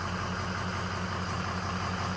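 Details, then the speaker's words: 2003 Ford 6.0L diesel after replacing two failed injector O-ring seals that caused no-start: steady even idle with smooth low rumble, no misses, knocks or stumbles, warming up again; running healthy after repair. "It's running. I'm gonna let it get warmed up again."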